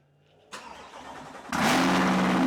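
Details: 2023 Corvette C8 Stingray V8 cold start before a DCT fluid and filter change: brief starter whir, loud bark, then a high, steady cold idle; normal.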